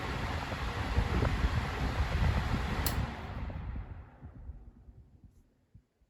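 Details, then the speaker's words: Newer Lasko box fan (2016-17, model unknown), starting up and coasting down in a comparison with a 1985-86 Lasko: low steady drone with soft rumble under the airflow: noticeable motor hum. "yeah on that one you can really hear the motorhome here you can really hear that motorhome anyways"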